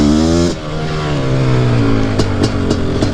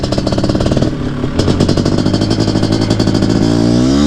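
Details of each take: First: Nearly stock Suzuki QuadZilla LT500R two-stroke, PWK-style carb, jetting revised: revving hard with a deep tone and some uneven popping at the top of the rev range. Breaking up up top, probably still slightly rich. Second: Nearly stock Suzuki QuadZilla LT500R two-stroke, PWK-style carb, after rejetting (still slightly rich up top): deep exhaust note climbs smoothly through the revs and pulls strongly under load while riding. A healthy engine.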